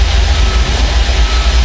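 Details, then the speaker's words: Volvo FMX 440 truck, exhaust brake/exhaust pressure governor leak test via diagnostics, parking brake on, air pressure above 700 kPa: steady hiss over deep even diesel idle, heard from left side of engine. Exhaust brake air leak. "Oke. Ini bocornya di bagian sebelah kiri engine ya, terdengar dari situ."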